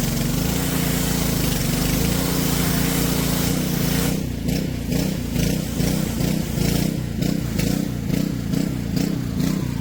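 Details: Junked Honda-powered Homelite pressure washer after carb cleaning and a float-valve check: steady drone that turns uneven and pulsing, rising and dipping; the owner suspects bad gas and refuels fresh. Engine surging.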